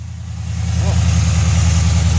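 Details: 2011 Dodge Challenger SRT8 392 Hemi 6.4L after replacing a shredded serpentine belt, tensioner with pulley and idler pulley: engine catches and builds to a smooth, even V8 idle, steady low rumble, no ticks, squeals or chirps; healthy.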